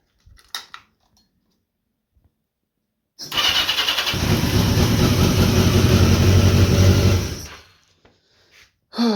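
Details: 1982 Yamaha XJ650 that previously wouldn't start until the starter button was released, caused by a bad ground and weak battery; after adding an extra ground, the starter catches within a second and the engine settles into a steady even idle.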